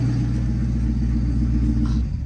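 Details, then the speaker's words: Corvette Grand Sport rebuild, first start after filling engine oil, transmission fluid and coolant: engine catches with a rough, lumpy low rumble and an odd noise, shut off after two seconds; oil leak, too much oil suspected. "Oh, it's turning on. What's that noise? Oh, stop it. Turn it off."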